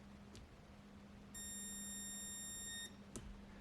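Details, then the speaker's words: Wurth 3/8 cordless impact wrench under repair, fully charged battery: thin PWM motor whine for about a second, then cuts out and flashes battery light, motor barely rotating; owner suspects overcurrent protection. "you can hear current going through the motor it is speed controlled so it's um I guess it's pwm uh you can hear the oscillations and then uh it stops and flashes the battery light like"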